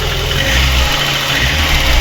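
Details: VAZ-21099 after cylinder head repair for lost compression in cylinder four, valves set to 0.40 mm exhaust and 0.25 mm intake; steady, even idle with a smooth low beat and no missing, all cylinders firing properly.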